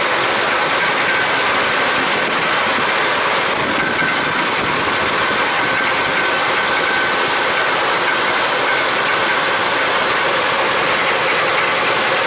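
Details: Fast, dense ratchety ticking over a hissy engine roar just after start-up on a test run after rear brake wheel cylinder work; likely noisy top-end valvetrain or lifters, unconfirmed; valve job and carburetor kit planned next.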